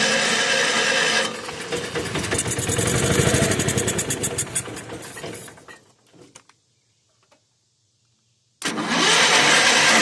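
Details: 1981 Allis-Chalmers 912 Hydro tractor, Kohler K301 engine, after new generic carburetor, rebuilt fuel pump and ignition work: long stretch of fast even cranking never catching, then silence; won't start though fuel reaches the bowl.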